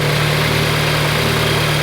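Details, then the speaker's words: VW Golf GTI after refitting coolant pipe to flange, warming up: steady, even idle with smooth low hum; earlier whistling noise gone, engine running healthy. "Right, let's let it get up to temperature, let the coolant go around the whole system, and if there's no leaks, happy days, because that whistling noise has gone."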